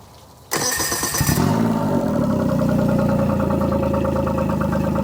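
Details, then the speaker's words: New 2024 Tohatsu MFS40A jet outboard on a cooling hose, primer ball pumped hard after adding stabilized fuel for winterizing: quiet, then it catches at once and settles into a smooth, steady idle with no misses or rattles; normal start and idle. "okay I pumped the ball till it got hard now I am going to start the"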